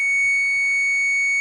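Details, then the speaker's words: Multimeter continuity test on Vulcan motorcycle alternator stator lead to earth: one long steady high beep about one and a half seconds, same on every wire; stator winding shorted to ground, possibly burnt wire, to be replaced. "And it does that on every wire. By rights, it should be a nothing. Shouldn't change it. So that means there's a short down in that stator down there somewhere."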